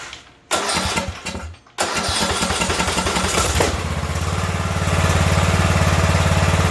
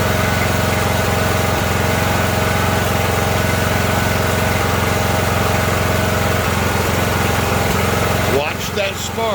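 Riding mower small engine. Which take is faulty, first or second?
second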